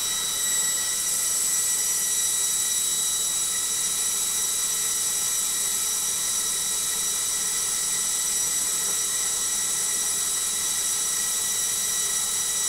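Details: LOGIK washing machine on final spin: a steady high-pitched whine with several piercing held tones and almost no low rumble. The spin is noisy and the cause is not identified.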